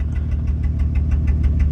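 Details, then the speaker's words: 2004 Pilot SUV at idle with an O2 sensor engine code stored: low, lumpy idle with a steady pulsing stumble, sounding like a misfire. Owner suspects spark plugs and coils. "The SRS code cleared, the VTM4 cleared, so the only thing I've got now is the engine, and that's for the O2 sensor, and it sounds like it's got a misfire."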